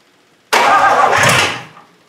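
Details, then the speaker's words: 1953 Hemi engine cranking after plug wire check for spark: sudden one-second roar as it catches, then fades out; fires on cranking but won't keep running, compression doubted. "We got fire. Did you hear it? It almost Yeah. started."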